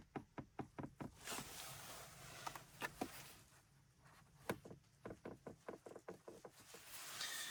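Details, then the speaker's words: VW centre console and dashboard creak, which appears only once warm after a 30-minute drive or sun heating the dash; sharp repeated creaks as the panel is pressed, right side quieter after WD40 silicone lubricant, left side untreated and louder. "all right okay so on the right hand side where I put the WD40 silicon lubricants there's still a little bit of noise but it's better than before on the left hand side where I haven't applied anything"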